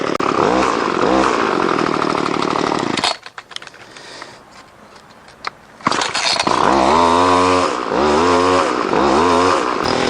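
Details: Two-stroke line trimmer with hard start and stalling, after repair and readjusting carburetor high and low settings; buzzy revs climb and drop cleanly in repeated bursts with no bogging or stalling, running properly.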